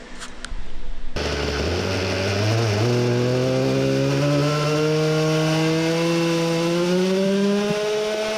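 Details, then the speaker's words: Tuned Samurai 40cc two-stroke on a dyno testing 22° spark advance dropping to 20° at 13,000 rpm; it screams up, then cuts out abruptly near the top, losing spark. The CDI is suspected to have failed again. "lost the spark allright so the fun ended pretty shortly most likely the cdi suffered another fail although it looked ok"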